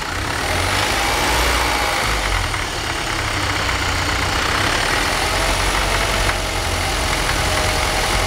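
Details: BMW 318i petrol engine with a rough idle: a loose, uneven beat of about four pulses a second that never settles into a steady rhythm.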